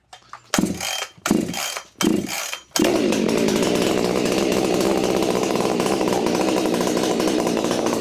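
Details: Husqvarna 592XP chainsaw, first start after fitting an Undaunted modded muffler replacing the flawed factory one, before AutoTune relearn, saw still needing cleaning and new chain: three starter pulls, then steady even two-stroke drone, no stumbling or surging; runs healthy.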